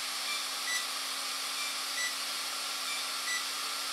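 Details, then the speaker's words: AR7200BX (BeastX) flybarless unit with HobbyWing ESC powered up using the wrong throttle-calibration procedure: a short high beep repeats about every 1.3 seconds over a hiss; ESC in error mode, no throttle signal, motor won't spin. "now you'll notice it's gonna power up my beast X and now we just have this annoying beeping sound right now let's wait for the Beast X to fully run its cycle here"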